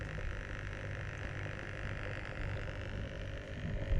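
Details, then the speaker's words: Bestway/Intex pool pump-filter impeller pump (Steel Pro Max pool), microphone right up close: quiet low even hum with faint soft churn, slight pumping noise, no rattling or cavitation, nothing leaking; running normally. "Nothing's leaking. It's an impeller pump. You can hear a slight pumping noise."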